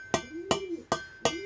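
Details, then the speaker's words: Nearly new two-stroke expansion-chamber exhaust, tapped for comparison with a carbon-clogged one. Four sharp taps each ring on with a bright, lasting metallic tone: a clean chamber with no carbon inside. "a un gros bruit métallique voyez ça résonne bien donc london ya pas de calamine normal il est quasiment tout neuf"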